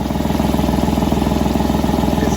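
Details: Chevy Tracker/Grand Vitara idling after a crude weld repair of a cracked engine pipe that failed state inspection; a raspy puffing tick is still present but slightly quieter, with the leak felt from up near the welded area.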